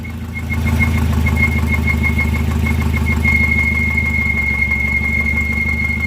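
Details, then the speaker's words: Volvo engine at idle: a high, steady, slightly pulsing squeal over a low idle rumble that never lets up; accessory-drive squeal, owner suspects a bad pulley, possibly the harmonic balancer, unsure. "Alright, so we have a new problem. Sounds like a bad pulley."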